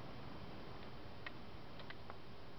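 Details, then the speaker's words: 1998 Isuzu Rodeo 3.2 EGR valve bench-tested by grounding its control side, current ramp good at about 1.5–2 A: a few faint light ticks as the solenoid energizes and opens; normal clicking, windings fine, though the position sensor still reads 2 volts. "there's no problem with the windings and the solenoid so that's not the problem and we could hear it clicking and it was opening"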